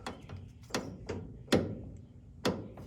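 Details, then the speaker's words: 1961 Ford Ranchero, revived after sitting six months, front end rocked: irregular dull clunks about once a second from the lower ball joint, whose nut was not tightened enough to the cotter pin. "It's clunking. It sounds like it's on that. It's the lower."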